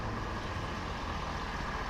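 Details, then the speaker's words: 2023 Ford 6.7 high-output diesel just after an oil change to 10W30 PAO oil, first start, foot on brake: smooth, even idle with steady low rumble, quiet, no typewriter ticking or knocking; healthy. "but pretty quiet no typewriter ticking or anything like that"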